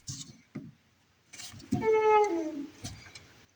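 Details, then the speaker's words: MG Midget front suspension, shock absorber worked by hand: a short, whiny squeak with a wavering pitch as the shock arm moves up and down. The owner thinks the shock needs replacing or refilling with oil; cause unconfirmed. "This shock here is squeaking a little bit when I move it up and down."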